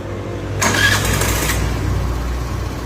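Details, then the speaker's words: Access BS6 scooter with self-start problem, after fixing ECU grounding wire to battery and refitting plug cap: short starter whirr, fires within half a second and settles to steady, even idle; no malfunction or FI light, normal start. "இந்த plug gap போடுறேன். இப்போ start ஆகுது பாருங்க."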